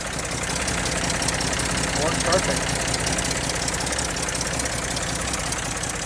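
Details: Engine cranked from the starter after fitting a homemade fuel pump diaphragm cut from drag-slick sidewall: steady, even idle with smooth low rumble, no stumbling or misfires; getting fuel and running healthy.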